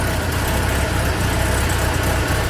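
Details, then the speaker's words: BMW E46 after oil change, sound from underneath the car: lumpy uneven idle with dull thuds every half second, revs fluctuating; rough idle, owner suspects injectors or spark plugs, hopes not low compression. "that little idle problem i was talking about um definitely hasn't been fixed i don't know if you guys can see in the revs just there it's just fluctuating a little bit"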